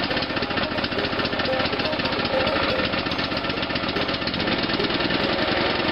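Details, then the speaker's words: Free lawn mower, long-sitting, revived after ATF was squirted into the cylinder: small single-cylinder engine chugs with quick, even firing pulses under a rattly exhaust, burning off the exhaust pipe; running normally. "Burning off the exhaust pipe that I filled on there a while ago. Called my neighbor, let him hear that thing run."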